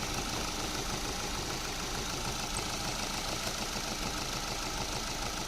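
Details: Car engine at steady, even idle with no squeal or chirp after WD-40 was sprayed on the drive belt, which squeaked at startup on rainy or cold mornings from moisture.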